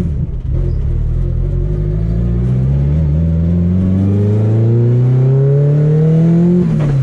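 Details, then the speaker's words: Drag car on a test drive after driveline upgrades, under light throttle: a smooth engine note climbing steadily with no thump, shudder or vibration, and the driveshaft feels smooth. Normal acceleration. "yeah it sounds good feels good no vibration feel test drive went good everything felt fine"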